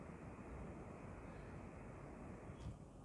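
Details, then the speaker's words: Laptop fan after cleaning and repair of a fan that made annoying noise, with new thermal paste: steady, soft air rush without rattle, whine or grinding; normal fan sound restored. "غير صوت الهوا مال الفان الفان الفان الاعتيادي"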